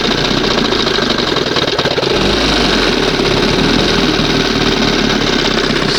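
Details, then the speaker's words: 1971 Johnson 20 hp two-stroke outboard: steady fast even buzz, idling a touch high but smooth; owner says sounds nice; high idle. "It's going to be a little much. Heat. Heat. Still a little bit funky here, but sounds good."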